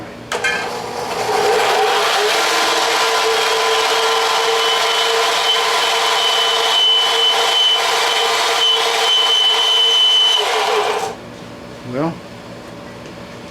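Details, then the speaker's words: Craftsman belt sander after idler pulley repair and belt tracking adjustment; steady, high, thin whine the whole time it runs, stopping at switch-off; something touching the small disc, cause unclear; abnormal running noise. "that's in the middle I don't know why it's making that noise but something's touching the little disc"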